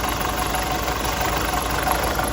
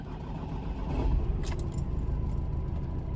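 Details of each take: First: Nissan X-Trail with starting problems: idle steady but slightly lumpy and uneven; timing chain suspected to be slightly out of time. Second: Nissan X-Trail with starting problems, cold engine after EGR valve refitted, cranked to compare with before repair: brisk even cranking catches within a second into steady low idle; normal quick start, check engine light out.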